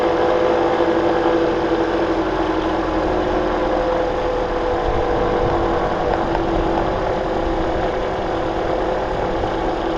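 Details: 2009 Toyota Corolla at steady idle with a faint thin whine. Rust flakes sit between the alternator pulley and body and the belt is slightly overtight; the owner believes the alternator bearing is going bad, not confirmed. Whine at idle.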